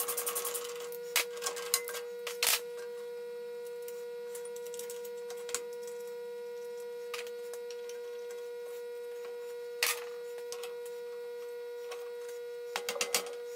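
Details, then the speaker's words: Homier 4x6 horizontal swivel band saw after tightening a loose screw behind the pulley that rattled the belt guard; steady even motor and blade-drive hum, few light clicks, no rattle; running normally. "That sounds a little bit better, doesn't it?"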